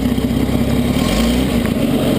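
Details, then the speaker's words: 1940 Chrysler Windsor coupe, smooth-running engine at idle: puffing tick in time with firing, loudest on one side, exhaust leak where pipe meets manifold; needs exhaust gasket replacement. "the pipe collects to the manifold on the other side so it does sound a little bit a little bit loud you can hear the exhaust leak Maybe"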